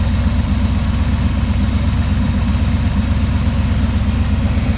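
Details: 1979 Trans Am V8 idling right after firing up during a tune-up, possibly on old gas: steady, even low rumble with regular firing pulses, no knocks or misses; runs smoothly.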